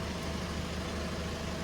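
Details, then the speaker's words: Ford Fiesta Mk1 with Zetec turbo engine, start after an ECU fix, needing at least 50% throttle and spewing creamy oil: heavy, lumpy low rumble with no even beat; running on only 2 cylinders, two stone cold. "It's only running on 2 cylinders. It is only running on 2 cylinders. Because these two are stone cold."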